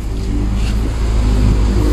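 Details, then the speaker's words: Proton petrol car with a 4G13/4G15 engine, started after the distributor was reinstalled to the correct firing order: it catches at once and settles into a steady, even low rumble with no stumbling, shaking or popping; normal start and idle. "One kick saja kita start. Bak. Sebab dia punya fairing order. Angam dia one kick saja kita start. Dia tidak engine bergegar, tiada bilang susah start, tiada bilang exhaust pandai meletup-letup."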